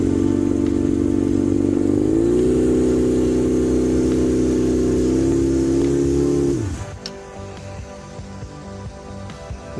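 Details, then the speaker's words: 1992 Suzuki Katana 750F four-cylinder after an untried choke adjustment on the carburetor: fast idle creeps higher then drops sharply. Idle too high; owner also thinks it may be running on two cylinders. "Let's recheck that again. It shouldn't be accelerated like that. I just had to adjust the the choke, I'm pretty sure, cuz I started moving this and I've never adjusted a choke and I saw it adjusting on the carburetor."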